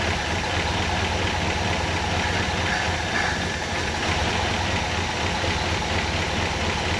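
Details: 1959 Ford Fairlane 500 V8 after a tune-up: rough, stumbling idle with an irregular shake as cylinders fire out of turn. Misfire from crossed spark plug wires; plug wires 6 and 7 were found swapped, against the firing order.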